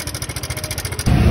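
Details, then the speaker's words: Honda PCX 150, 5 years old, about 10,000 km, at idle: sudden sharp fast ticking about twelve per second before a blip; cam chain tensioner found with no pressure, collapsed, letting chain slap. "nah hari ini tadi barusan itu suaranya langsung ngelklek parah wararanya seperti ini nah nih suaranya ngeklek ya ini tersangka utamanya ini Tensioner karena secara tiba-tiba"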